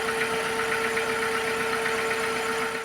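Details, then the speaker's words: Skoda petrol engine idling with a misfire and the check engine light on: an uneven, lumpy pulsing beat, one cylinder misfiring. The engine wobbles and jumps in the bay instead of running smoothly. "Instead of the smooth running that this engine normally has, it sort of wobbles in the engine bay and jumps around a bit."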